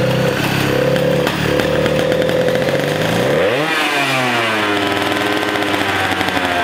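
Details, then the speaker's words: 100cc two-stroke racing go-kart engine, unused for years, first run after being spun with a drill to get spark. High buzzing runs unevenly, pitch sagging then recovering: it wants to stall and is hard to start. "yeah she works yeah it sounds really good definitely into a little cartoon it does want to die but yeah solid"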